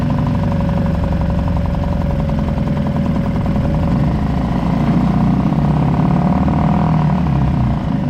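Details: Suzuki 2.5 HP DF four-stroke outboard, long shaft, running in a water bucket in neutral after an oil-level-sensor no-start, oil barely in sight glass: steady even chug with no misses or knocks; running normally.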